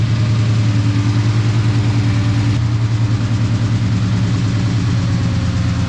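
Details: 1998 Ford Mustang Cobra, bought with a no-spark fault, after a battery jump-start: deep, steady V8 idle with an even low burble and no misses, knocks or ticks. Engine running healthy.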